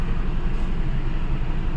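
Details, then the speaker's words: Honda Civic petrol engine idling: a deep, uneven, stumbling rumble from a cylinder misfire, with heavy vibration, a check engine light, pickup drop and stalling at speed breakers; codes P0352/P0135, repaired by replacing the ignition coil. "है गाड़ी आज हमारे पास हंडा सिक petrol engine है गाड़ी में customer complain है कि गाड़ी में पिकप ड्रॉप हो रहा है और और चलते चलते बंद पड़ जाती स्पीड ब्रेकर पर और अपना चक इजन लाइट भी आ रहा है साथ में और गाड़ी पूरा वा वाइब्रेट हो रहा है"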